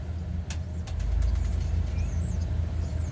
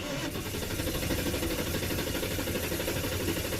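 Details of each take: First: 1996 Ford, thought to be an F-250, with a 5.8 V8 at idle: a deep beat with an occasional stumble and dip, a light intermittent one-cylinder miss. It misfires while driving, shows no codes and no check-engine light, and the charging gauge drops on the miss. Cause unconfirmed. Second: 1996 Ford, possibly an F-250, 5.8L V8 with a reported misfire and no codes, cranking for a relative compression test with a scan tool: even, unbroken cranking rhythm, cadence suggesting nothing wrong with relative compression.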